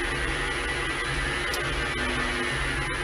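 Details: Clarke CL430 lathe converted to VFD and three-phase motor: constant buzzing hiss and thin high whine through the workshop radio while the lathe runs; inverter EMI also disturbing the tacho, before suppression fix.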